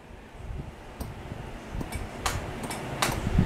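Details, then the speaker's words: 2004 Kubota BX23D tractor, in neutral with the PTO off, key turned: only a few sharp, isolated solenoid clicks with no cranking. Aged wiring and safety-switch resistance starve the solenoid of current; the fix is wiring in a start relay. "you can hear it click but it's just not it's not enough power to uh pull the solenoid up"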